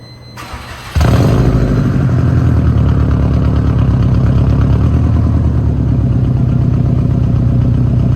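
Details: 2007 Subaru Impreza WRX STI boxer with aftermarket exhaust, from Utah: cranks and catches at once, smooth even idle, no rod knock or misfire; quiet, well-balanced, healthy engine.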